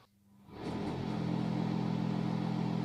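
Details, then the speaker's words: Bathroom/toilet exhaust fan (aspirator), after being removed and reinstalled with support underneath: even steady hum, low constant tone, no rattle or scrape; remaining noise is normal for product quality. "bu sesli hali Bu da normal daha bundan aşağı bu sesi düşürmek mümkün değil Neden Çünkü bu ürün kalitesiyle alakalı"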